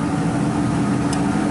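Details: Ford E-150 5.4 L V8 at idle, no code: steady idle with uneven loping beat from one cylinder dropping out, constant dead miss; PicoScope traced it to cylinder 3 and a failed ignition coil.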